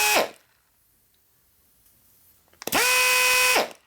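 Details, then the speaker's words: Grinder on a variable-speed air supply, turned down to a lot lower RPM so as not to burn this one up; lock-on trigger; short blip then about one second of steady moderate whine winding down on release; normal running at reduced speed. "I should cut the RPM down so I don't burn this one up. He's got this stupid trigger that stays on too, I don't like. See, that's a lot lower speed."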